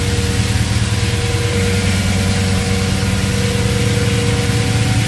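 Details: Audi S8 V8, first start after engine removal and reassembly: deep, even idle holding a steady beat of roughly two pulses a second with no misses or knocks; starts first try, owner then checks for air and fuel leaks.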